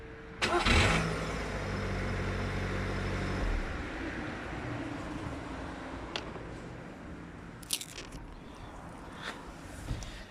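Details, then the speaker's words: Skoda Fabia Mk1 cold start next morning, phone outside, after starter brush replacement and greasing: short clean crank, catches straight away, even idle; starter noise after disengagement gone, repaired. "so i hope you can hear it that the sound is gone and um yeah so let's consider the starter repaired everything seems to be fine it's not making that sound anymore"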